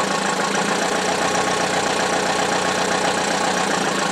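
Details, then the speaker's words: Buick (demolition derby car) run with no oil to failure: the loud rattle suddenly changed to a quieter, calmer but constant metallic rattle over a thin engine note after something seemed to break; bearings running dry from oil starvation. "not that long into the test and the loud rattle went away and now it's a much more more quieter calmer rattle so I don't know if that's good or bad but the sound dramatically changed there"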